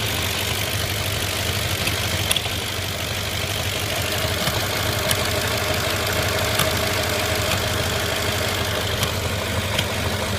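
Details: 2005 Audi A6 4.2 V8 with misfires; uneven idle with occasional hollow thumps breaking through the hum, owner suspects throttle body/manifold area; rough idle with intermittent thumping, cause unconfirmed.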